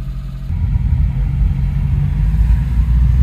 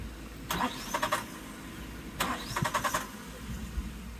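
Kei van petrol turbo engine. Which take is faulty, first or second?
second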